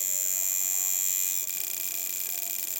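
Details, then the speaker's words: Coil tattoo machine with power supply turned up from zero: thin, steady electric buzz lacking a crisp snappy rattle, running sluggishly and too slow. "okay obviously feel it with this part of your thumb way too slow you're hanging in the"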